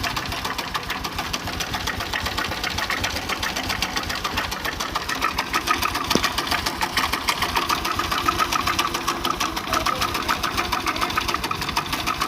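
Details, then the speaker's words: Honda Revo Absolute idling with cover open: fast, uneven metallic clatter about three per second as the visibly very slack cam chain slaps its guides; loose cam chain rattle, piston also suspected, before overhaul. "lihat si keteng itu kendor banget ya, tuh. Nah, kita akan coba cek yang lain, apakah keteng saja atau yang lain juga, yang lain sebagainya ya. Nah, ketengnya kendor juga."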